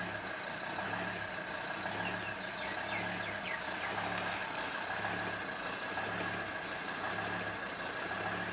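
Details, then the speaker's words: Volvo XC90 D5 diesel on a cold start: the idle drone swells and falls roughly once a second as the revs hunt, which goes away once warm. Owner suspects the diesel fuel filter, but replacing it didn't cure it. "So when you first start it, when it's cold, the revs are going up and down. It's hunting."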